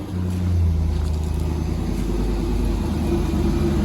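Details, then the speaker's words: Manual Corvette C5, previously a non-runner, after a replacement PCM/ECU was installed and the fuel pump was jumped across relay terminals 87 and 30: after a rev it settles to a deep, steady, even idle and sounds good. The fuel pump fault itself is still unresolved. "right then turn it off so go on sounds good doesn't it it just it does sound good sounds Mega um and I'm glad to say that the engine sounds nice yeah it sounds Mega"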